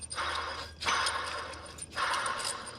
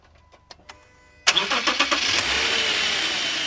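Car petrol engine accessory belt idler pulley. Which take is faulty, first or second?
first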